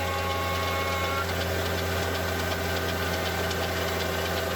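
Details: Mercedes E55 AMG M113K V8 at cold start idle: fast light mechanical ticking from left cylinder bank/head over steady drone, gone after 10-15 minutes warm; began after switching to 0W40 oil (possibly from 5W40) and 95 to 98 fuel; lifters or timing chain suspected.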